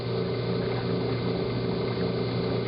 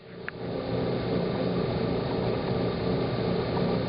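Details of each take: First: Hot tub with pump stopped: steady low hum and rushing with faint simmer as the heater stays on and boils water because the rusty pressure switch is stuck closed, no flow code shown; fixed by replacing the switch. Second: Hot tub spa pump running after replacing a pressure switch that was stuck closed, with the heater switched off and on: steady pump hum with a brief drop and restart near six seconds, then smooth; normal pump and heater operation.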